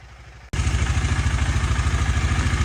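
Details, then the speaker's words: 2018 KTM Duke 250 left dead for a year, battery charged to 100% with smart charger and charger removed: engine catches at once and settles into an even, pulsing idle, starting and running normally. "Remove பண்ணிட்டு இப்ப ஆனே ஆகாம இருந்ததுதான் on ஆகுது."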